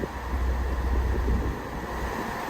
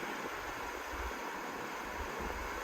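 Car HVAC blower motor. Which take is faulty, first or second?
second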